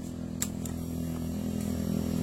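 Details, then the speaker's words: Honda Beat injection scooter that jerks when starting to accelerate, battery checked normal at about 13 V: quiet, steady low hum from the fuel pump, judged normal with no problem. "Nah seperti itu. Saya kira untuk di bagian full pumpnya ini tidak ada masalah ya."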